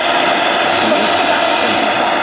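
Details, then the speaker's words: Zenith garage radio tuned between stations: strong even hiss with no dropouts or crackle; normal inter-station noise showing good sensitivity. "and this is kind of one way I can always tell if the sensitivity is good or Not by the noise between the channels and you can hear"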